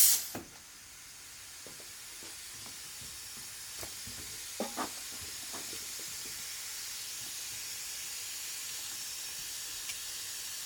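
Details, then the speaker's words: Engine off, pressurized with a homemade boost leak tester on a car that was breaking up under boost: steady thin airy hiss of air escaping at the intake coupler, the found boost leak. "I'm hearing a slight bit of air right here at the intake. So, shoot. It's not a big issue, but maybe."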